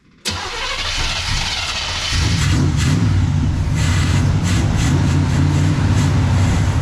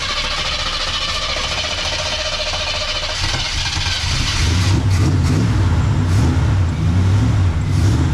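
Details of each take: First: 1979 Chevrolet Camaro with freshly fitted Quadrajet carburettor: catches after short crank then settles to uneven, lumpy grumpy idle; choke wired wide open. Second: 1979 Chevrolet Camaro, first cold start on newly installed aftermarket carburetor with fuel filter; catches quickly, settles to steady even idle, picks up cleanly on light throttle; sounds healthy.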